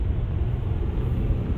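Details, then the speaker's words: 2011+ Jeep Grand Cherokee WK2 interior at 70 mph after the fix for the whistling noise: steady low road rumble with no whistle or wind leak. "As you'll hear, there is absolutely no leaks whatsoever. So, our hack worked, that's fantastic."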